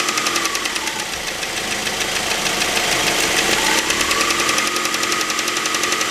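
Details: 2006 Mazda 3 BK 2.0 LF engine, 150,000 km, at idle: fast, light, crisp ticking about four per second over steady idle; top-end noise, cause unclear.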